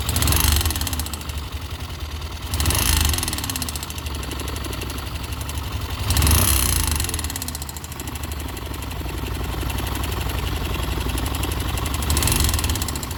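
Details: YB motorcycle with an uneven idle, a light irregular tapping over the engine and a few short throttle blips; abnormal engine noise, cause not clear.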